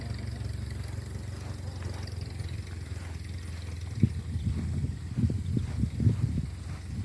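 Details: 1950 Ford 8N tractor, converted to 12 volt, new starter, fitted with a new carburetor after it started and died as if starving for fuel: even, quiet low idle, then several clean throttle blips without stumbling; runs healthy.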